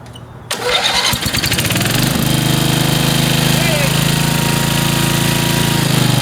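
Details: Machine, first cold start of spring after storage, with choke on and throttle midway: brief cranking, catches within a second and settles into a steady, even idle with no misses.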